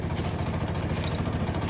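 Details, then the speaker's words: Central air conditioner outdoor unit makes a constant fast, deep whump-whump pulsing, about ten beats a second, like helicopter (Chinook) rotors, running all the time; rhythmic whooping noise, cause not found. "see that it makes a lot of noise and it sounds like a helicopter to me"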